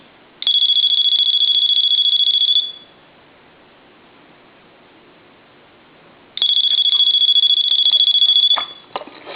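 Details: Dolphin novelty telephone after repair: two clean, shrill electronic ring bursts about two seconds each with a quiet gap; ringer working properly.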